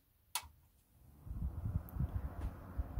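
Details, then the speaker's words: Fan motor from roughly 12-year-old Whirlpool fridge/freezer 6ED2FHKXRL04 that growled at night, bench-run on mains via isolation transformer: faint uneven ticks under soft hum; owner reckons the bushings whine and the fridge frame amplifies it. "so i reckon the bushes are starting to make a bit of a wine and it's amplifying itself"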